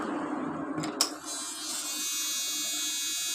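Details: Mio Soul GT injection scooter that sometimes cuts out over bumps or on flat roads, three days after a shop visit: connector click, then a steady high electric buzz as the fuel pump primes normally after reseating its socket.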